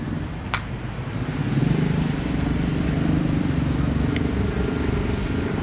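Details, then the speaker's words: Honda PCX 160 scooter about one year old with low mileage: a coarse, gritty droning rumble from the CVT that swells as revs build. The CVT is rough and hot; the owner suspects wear depending on usage. "Nah, RSPT ini teman-teman ini kasar banget. Kenapa kasar? Mungkin pertamanya itu tergantung pemakaian."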